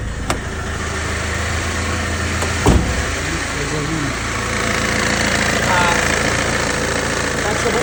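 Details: Mercedes Vito W639 diesel after fuel filter replacement, previously not starting: engine cranks briefly, catches around the third second and settles into a steady, even idle with no misfire or stumble.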